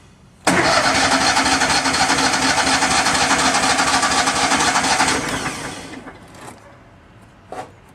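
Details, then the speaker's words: Miller Bobcat 250 welder, gasoline engine, 34.1 hours, unused since July, started in January: about four and a half seconds of even cranking with no firing; cranks but won't start, smells like flooding after choke. "choke it a little bit smells like it's getting flooded anyways we'll wait a little bit"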